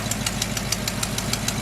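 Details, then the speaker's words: 1976 Chevy K30 dually tow truck V8, first start after sitting over two years in a barn: sharp, even ticking about six or seven per second over the idle and revs, an exhaust manifold leak, hoped to be where exhaust meets the header. "That sounds good. A leak on the exhaust manifold somewhere. Tap, tap, tap, tap, tap, tap, tap."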